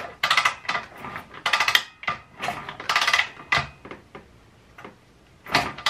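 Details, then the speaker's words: Beretta 150 pitbike engine, oil drained, spark plug removed, kicked over slowly by hand: uneven bursts of hard metallic clacks, felt as intermittent skipping, from a broken tooth on the clutch basket gear. "o o czuć czuć pod ręką takie takie jaky o jakby coś przeskakiwało co pewien co pewien"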